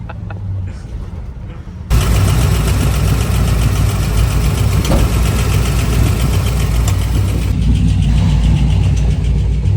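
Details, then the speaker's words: Square body truck on the way to a car show: fires up loud and lumpy with uneven low thrum and churning undertone; owner hears something rotating and says it isn't running right, cause unknown, parked. "The square body is making some noise. I have no idea what it is. Sounds like something rotating and it also ain't running exactly right."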